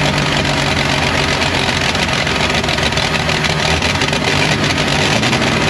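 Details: 1953 Chevy 5700 COE truck started after about 50 years sitting, carburetor controlled by hand: the engine runs steadily with an even low rumble and no misses, knocks or stumbles; it runs normally.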